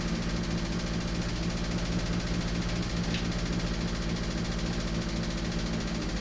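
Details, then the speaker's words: 1986 Toyota MR2 AW11 engine from a salvage-yard parts car, idling after the last vacuum leak was fixed; steady idle with a faint uneven tapping over the exhaust beat. Owner says it sounds like rod knock, not confirmed. "Except it doesn't sound like I want it. Yeah, pretty much always happens when you do this. Sounds like rod knot."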